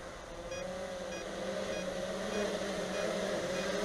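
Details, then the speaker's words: Traxxas Aton Plus quadcopter in film mode: quick, regular beeps about four per second over a steady rotor buzz. This is the normal alert that the drone is descending. "again that beeping tells you that you're descending that's in fil mode"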